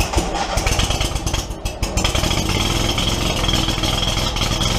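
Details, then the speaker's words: Steiner (Textron) zero-turn mower with Kohler 25 Command twin, before repair, stator oil-soaked from oil cooler line leak and rectifier blowing fuses; ragged, lumpy start into an uneven, lopsided putter with hollow beat, running on one cylinder. "I did get this fire up the other day on one cylinder that's what the uh complaint is is it's not running it's not running right"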